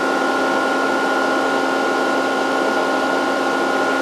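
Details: Variable frequency drive with long-idle capacitors being slowly reformed, supply about 110 volts, series light bulb glowing as capacitors charge: cooling fan running, steady even whir with constant mid-pitched hum, no rubbing or ticking; normal.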